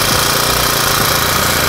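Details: Honda GX35 small four-stroke brush-cutter engine, just repaired with a cylinder re-sleeve (liner) and warming up: a smooth, quick, even buzz at a steady idle of about 1500–1700 rpm, quiet and healthy. Normal idle.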